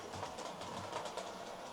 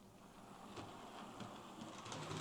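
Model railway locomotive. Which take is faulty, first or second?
second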